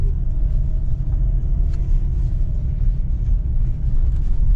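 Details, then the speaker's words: Driving over rough patches after replacing both front anti-roll bar links, the right one having caused a front-right knock: steady low tire and road rumble, no clunks or knocks. Front suspension now quiet. "передвигаясь по тем стам где происходили посторонние стуки сечас проезжаю ни нигде не гремит всё прекрасно тишина аж приятно ездить"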